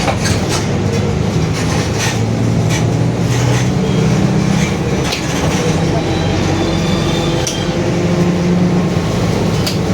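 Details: Marcopolo Torino S 2018 body on 2021 Mercedes-Benz OF-1721 BlueTec 5 diesel city bus, while driving: a steady low droning hum under heavy road and cabin rumble, from a growling rear differential.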